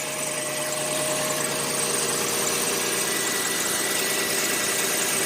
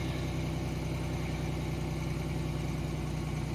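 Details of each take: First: 1990 Chevrolet Lumina Euro 3.1 V6, 145,000 miles, idling just after a cold start following about 3 months sitting: light, uneven ticking clatter over a hissy top end, owner thinks it's from sitting; separate EGR valve code pending. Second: 1990 Chevrolet Lumina Euro 3.1 V6, 145,000 miles, cold start after sitting about 3 months: steady, smooth fast idle with no knocks or misses, around 1,800–2,000 rpm by ear though the tach reads 2,500.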